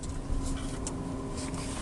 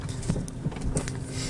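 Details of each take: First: 2022 Renault Zoe on rough dirt road after stabilizer links were replaced: only soft tyre and road hiss in a quiet cabin, no knocks or clunks; the earlier suspension knock is gone. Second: Renault Zoe driving over a dug-up dirt road: dull low thumps about three a second over road rumble, no engine noise; several workshops found nothing, a mechanic suspects worn stabilizer links.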